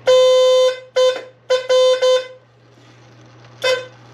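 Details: 1982 Fiat 124 Spider horn, previously not working, tested with key on after power wire attached and ground wire run to grounding pod; several loud clear honks of varying length at steady full strength; horn now works properly.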